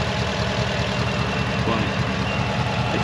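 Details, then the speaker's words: Ford F-150 with the 5.0 Coyote V8 at idle: smooth idle with a light, quick ticking from the cam phasers, said to be the trademark of this engine. Healthy, normal phaser chatter. "So, this is this is a good old 50 Coyote right here. So, not bad right here. And you can hear the the cam phasers going. That's the trademark of this engine."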